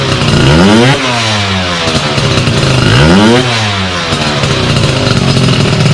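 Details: Sym DD50 moped with a built Polini Corsa Mini motor, small faults fixed and jetting set: crisp two-stroke buzz climbs cleanly through two quick blips and drops back to a steady idle each time; normal idle and revving.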